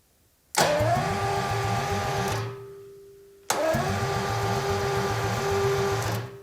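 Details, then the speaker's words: 1977 Jaguar XJ12 Series 2 V12 with a new starter, hotwired to the battery with the exhaust off and the battery slightly flat. Two bursts of fast, even cranking with soft compression pulses; this low-compression sound is normal for the V12. "sounds really good kid batteries a little flat but that sounded really good and yes these b-12 do sound like they have zero compression when they're turning over but that's what they're supposed to sound like"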